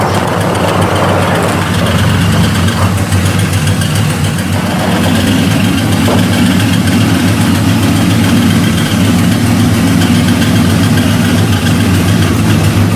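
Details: LS-type V8 truck idling roughly, with a busy top-end clatter over a deep rumble. A seized lifter in its bore is suspected, likely from incorrect lifters fitted when the cam was installed. Not confirmed.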